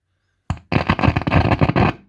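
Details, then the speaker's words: Marshall Master Lead Combo 5010, a 30 W solid-state 1x12 amp: rough, irregular crackling bursts as a control is turned; scratchy, dirty potentiometers needing cleaning before DeoxIt treatment. "is that scratchy pots so i need to pull this guy out and clean all these"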